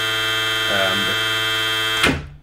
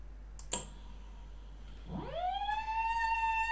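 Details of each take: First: Steady high electronic whine from an outrunner motor on VESC firmware 6.00 beta 40 using silent HFI sensorless control, wavering briefly through repeated forward/reverse direction changes at full current, then cutting cleanly to silence; motor and drive healthy. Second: VESC controller on firmware 6.00 beta 40, silent HFI sensorless mode on an outrunner at low current: after a click a whistling tone sweeps up near 1 kHz and cuts off; inductance set too high, so sensorless tracking is lost.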